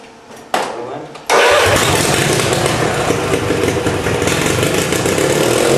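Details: Tractor sitting about a week, cold start; starter cranks briefly, engine fires right off on first try and settles into a steady, even idle with no knocks: normal cold start.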